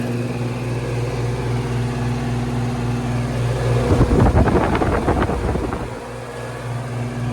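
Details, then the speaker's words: Goodman AC condenser after condenser fan motor replacement and coil cleaning: steady low hum with even fan whoosh, brief handling rattle, then settles; running normally, cooling restored. "all right we got it running got the new fan motor in there things working good"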